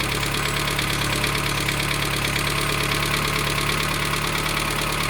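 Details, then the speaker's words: 1987 Dacia 1310 (Renault 12) petrol engine at cold start after sitting two days, choke pulled a quarter: steady bottom-end knock about three times a second over idle, still present after bearing change; owner expects it to fade as engine warms. "Pe măsură ce se încălzește motorul o să se estompeze"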